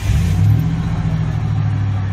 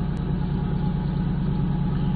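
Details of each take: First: 1997 Ford F-150 with high idle, DTC P1506: start-up flare settles to a steady fast idle around 1200 rpm that never drops; the idle air control valve, duty cycle low, is suspected sticking and can't bring it down. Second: 1997 Ford F-150 with high idle code P1506, after idle air control valve learn and fuel filter replacement: steady, even low idle with smooth regular pulse, no hunting or surging; actual RPM closely matching desired.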